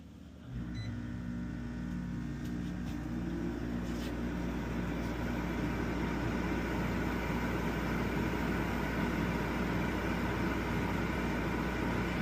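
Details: Coleman Mach rooftop A/C on Rockwood Geo Pro 19BH trailer, low cool, before soft start install: kicks on about half a second in, then steady even low hum with fan rush; normal running.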